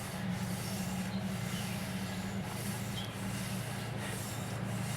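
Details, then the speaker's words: McCormick Deering M tractor engine turned slowly by hand after piston and rod installation: soft, even rubbing each stroke as the cleaned piston and rings seat into the freshly honed cylinder; smooth and free, normal. "you hear that little bit of uh uh I guess you can say rubbing that's the uh the cleaned up piston and piston rings uh seating back up to the freshly honed cylinder there"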